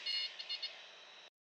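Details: Light training aircraft during power-on stall practice, full power, full back pressure: shrill stall warning chirps pulse a few times then hold steady before cutting off; warning working normally near the stall.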